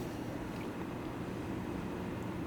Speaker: we don't hear that random fan ticking noise anymore and overall just seems more silent